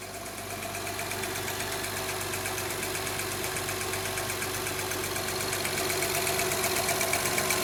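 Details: Honda Odyssey petrol engine idling with a steady sharp ticking, about four ticks a second, over the hum; cylinder 2 misfire noted. Cause of the tick suspected, not confirmed.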